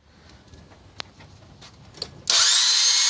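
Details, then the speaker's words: 2000 Nissan Altima GXE 2.4L no-start: high-pitched steady whir starts suddenly with no cranking beat, belts not moving; starter spins continuously without turning the engine, cause not confirmed. "see it just rotates engine doesn't even attempt to start just a continuous rotation"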